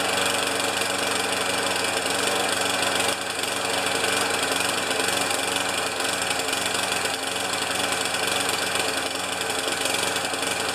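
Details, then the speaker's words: Older Murray mower, 158cc Briggs & Stratton Classic engine, after fitting a J19LM spark plug: runs rough and uneven, beat stumbling irregularly over a high buzzy drone; running really poorly, owner will change the ignition coil. "it's running really poorly uh so I am going to change the coil"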